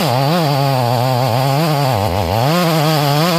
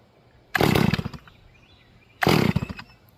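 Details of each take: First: Rebuilt Stihl MS440 chainsaw with 28-inch bar, carburetor freshly tuned, cutting about three feet of red oak at full throttle: strong, even high-revving howl, dipping briefly then pulling clean; running well, slight stumble on the backside. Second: Rebuilt Stihl MS440 chainsaw during manual carburetor tuning, idle jet fattened and low jet barely open: two short, blubbery bursts that sputter and die instead of revving clean; over-rich mixture, probably flooded.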